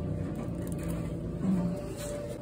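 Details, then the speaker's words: Frigidaire Gallery dryer after restringing the heating element with a new coil and refreshing control board solder joints: steady even low hum, no scraping, heating again. Normal dryer operation. "let's fire it up no more scraping noise running good and we got heat"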